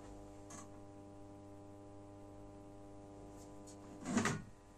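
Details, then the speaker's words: Genius 5.1 speaker system under repair, volume at minimum, heard from a satellite speaker: steady low mains buzz with stacked overtones, unaffected by volume; noise traced to one PCB, capacitors looked fine, supply suspected. "now you can hear from the satellite it's a very very big noise"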